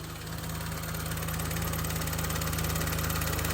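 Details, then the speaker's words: 2007 Saturn Vue, Honda J35 3.5 V6 interference engine, after a broken timing belt, likely bent valves, idling with a fast regular ticking clatter about three a second over a low hum; valve adjustment planned, check engine light. "No, it is making a weird noise, but it's fucking running, bitches!"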